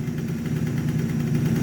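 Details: Two-stroke scooter with MVT Millennium ignition after fixing no-start and misfire: stator coils cleaned with brake cleaner and bared wires insulated. Even, buzzy idle with steady beat, no misfires or stumbles; ignition now firing cleanly.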